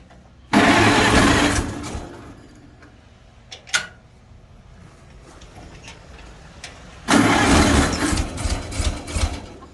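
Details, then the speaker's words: 1955 Farmall Cub antique gas tractor, battery trickle-charged overnight, choke applied: two short bursts of cranking with no firing; cranks but won't start. When it does start it runs rough on two or so cylinders; owner plans a tune-up (plugs, points). "so first things first let me show you that it's not starting"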